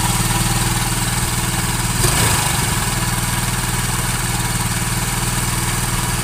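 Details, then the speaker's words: Honda Vario automatic scooter engine after a full teardown and internal cleaning: steady, even, smooth low putter at idle with no knocks or rattles; normal idle. "Nah untuk suaranya halus untuk Vario ini suaranya itu sudah halus"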